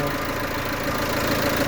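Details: Peugeot 307 2.0 HDi with fault codes P1112 and P0204, after replacing the TDC sensor and diesel fuel filter. No leaks. Even, steady diesel idle with light clatter and no misses; the engine runs smoothly.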